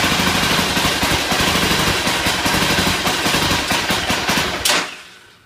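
Rapid, choppy cranking for several seconds that never catches into a running idle, then stops; a hard start, cause unclear.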